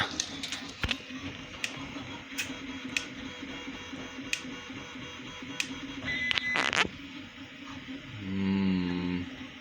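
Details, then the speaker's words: 3D printer while printing: sharp, uneven clicks about every second over a faint printer hum. Intermittent clicking, cause unknown; owner thinks it is fine but is keeping an eye on it. "Anyway, I hear clicking from the 3D printer, so I better go and have a look and see what it's doing."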